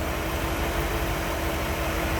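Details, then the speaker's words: 1955 Ford Thunderbird, stock 292 V8, hood open, battery recently replaced: low, even rumble with a steady beat and no misses, knocks or ticks, very smooth running; normal idle. "First of all, you hear how smooth that thing runs. Very smooth running on 292."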